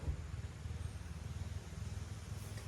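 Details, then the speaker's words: 1984 Chevy C20 square body abandoned for 11 years, cranking on the starter after WD-40 was sprayed down the throat, before any fuel is added. Slow cranking with a lopsided gallop, one pulse lighter than the rest; a cylinder is suspected to be down on compression. "and when I say A Gallop basically what I'm saying is when it spins over you can kind of hear it going and basically that kind of means that we might have a hole that's down on compression a little bit"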